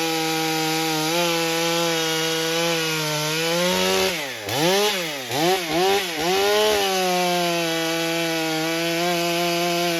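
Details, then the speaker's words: Stihl MS661c with a forged Wiseco piston on its first tank, 40:1 mix, 32-inch bar, cutting soggy poplar; a steady high two-stroke scream drops and recovers through the cut, judged to cut nicely and to be better than stock. "right, first impressions. I believe that does pretty nicely."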